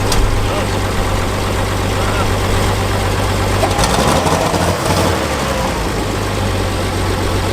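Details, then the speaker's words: Abandoned Farmall 460 tractor after flushing rusty fuel system, carburetor still leaking and needing a kit: steady, even, quiet low idle with smooth beat and brief disturbance midway, good oil pressure; normal idle. "good oil pressure PSI this one's really quiet yeah there we go she moves she runs"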